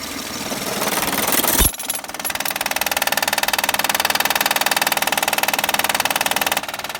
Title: 2011 Honda Accord 3.5l loud knocking noise easy fix by replacing Timing bel tensioner